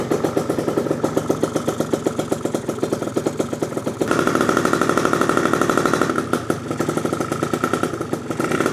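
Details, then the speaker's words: Freshly built PM Tuning 172cc Gilera Runner liquid-cooled two-stroke Piaggio scooter engine, first start, cold, not revved, with a split fuel line leaking: steady, fast, quiet burble with even popping; healthy idle. "Oh my gosh. Can you believe it finally started? Bro. It's so quiet actually right now. I don't even want to give it anything. We're gonna let this baby idle."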